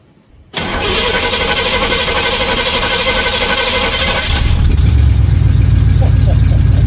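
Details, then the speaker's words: 1979 Corvette C3 V8 after swapping Edelbrock Performer 600 for new Holley Street Demon 625 CFM carburetor: catches almost instantly and settles into steady deep idle, no stumble; exhaust leak at manifold-to-side-pipe joint; normal start. "Wow, guys. That is so much better."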